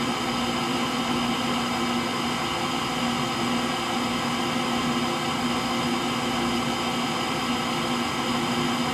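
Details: Frigidaire Gallery front-load washer GLTF1670AS1 final spin with bad motor bearings: steady whirring spin with a dull, rough rumble at lower spin speed, likened to a Pratt & Whitney JT8D jet engine.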